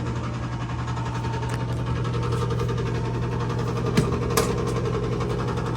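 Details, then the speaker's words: Rinnai gas boiler after a part replacement and purge override: steady low zone damper motor hum with uneven faint ticking that doesn't sound healthy; a second-floor damper was locked and wouldn't close. "That doesn't sound healthy."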